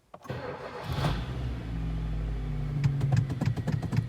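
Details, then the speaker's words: Kia Ceed 1.4 G4FA, 184,000 km and seven years old, first start after a rebuild with cylinders bored 0.5 over for oil consumption and piston knock: a short crank, a clean catch, then an even idle with no knocking; slight coupling tapping is considered normal. "пошло так работает ровненько без каких либо шумов можно слышать"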